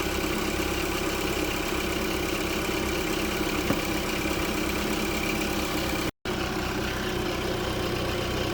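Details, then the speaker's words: Engine just after replacing an alternator whose brushes were worn, charging about 14.2 V: a steady, even idle with a smooth hum and no knocks, ticks or whine; normal idle with the charging system working. "all right want to give it a try we're going to start it up and see if she charges nice she's running"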